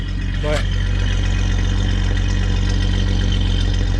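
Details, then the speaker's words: 1989 Jeep Cherokee XJ petrol engine idling after start: steady, even low rumble, smooth unbroken beat with no knocks or misses; healthy normal idle. "nice sounding jeep"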